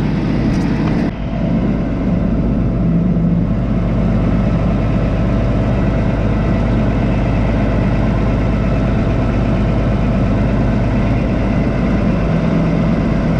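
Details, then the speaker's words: Cummins diesel in "Big Blue" idling after hard starting, while the air seeder bar is folded up. Steady, even diesel rumble with no knocks, misses or hunting: smooth and healthy. "I'm going to let you listen to some of the idling sounds of the cuming engine while Dad folds up the air seater bar"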